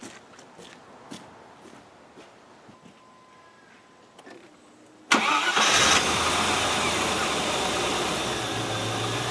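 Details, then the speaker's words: 1997 Land Rover Discovery 1, now starting off the key, cranks and catches, then idles steadily at about 1000 rpm, somewhat above the expected 750; slightly rattly at startup. "that's idling at a thousand it's a little bit high it should be around about 758 people still it doesn't sound too bad does it"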